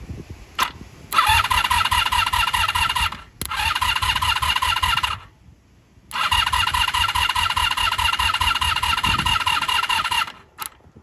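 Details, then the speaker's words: 1983 Honda V45 Sabre VF750S that sat outside, on choke: three bursts of labored, chugging starter cranking that never catch; the battery is running down, and the start button contacts need cleaning. "yeah she's getting tired all right well we can pull this off and clean that up put a battery charger on this while we're at it"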